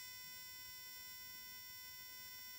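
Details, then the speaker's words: Spark plugs from a VW Fusca (Beetle) that misfires in second gear at low revs, tested two at a time on a bench spark tester at maximum rate in the dark; quiet, steady high buzz of even sparking, plugs firing normally. "Obviamente eu tenho a vela funcionando corretamente. E aqui eu posso colocar na rotação máxima."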